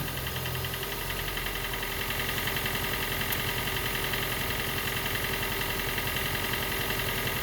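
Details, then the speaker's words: Gen 2 Toyota Prius 1.5L hybrid with codes P3190, P0A0F, P3000 and P0A80, engine finally running after being turned by hand while the HV battery charges: dull, uneven idle with a faint knocking pulse. Diagnosed low compression, so it cannot heat the air to start when cold. "And I know what the problem is. Actually, the compression is too low. So when it's cold, it cannot heat the uh uh air inside the combustion chamber on the compression stroke."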